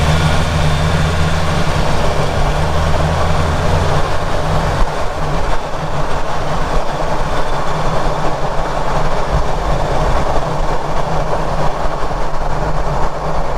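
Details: Ford Ranger Raptor at speed, microphone at rear diff near prop shaft bearing while hunting a grinding noise: only steady low road and driveline rumble, no grinding or whine; diff and shaft bearing normal.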